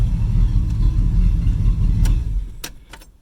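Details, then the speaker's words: 1978 Corvette 25th Anniversary, L82 V8, sat 20 years in a field, idling after a one-turn start with lights on: deep, even V8 burble, steady low rumble, no knocks or misses; normal idle. "Just sits there idling good. Just really pleased with that."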